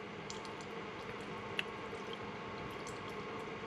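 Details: Keurig K-Café, already heated up, brewing a K-cup for a latte: quiet steady hiss with soft trickling and the odd drip as coffee runs into the cup; brewing normally.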